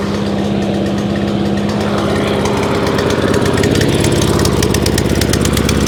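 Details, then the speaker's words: Free scrap lawn mower, after fitting a new spark plug: small single churns with a lumpy, uneven beat of about two pulses a second, never smoothing out. Owner suspects carb assembly jumped onto choke or carburettor linkage not opening and closing properly; unconfirmed. "it's carby something to do with the linkage up the top is not it's not it's not open and closing as it should do could be a problem because because of copy carburetor"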